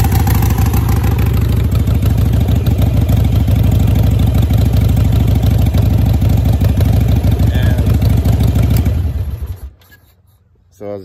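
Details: Cold Harley V-twin (Sportster/Dyna/Softail/V-Rod) with a manual idle air control valve replacing the factory IAC: loping cold idle with a steady low, uneven beat around three per second, then the engine shuts off.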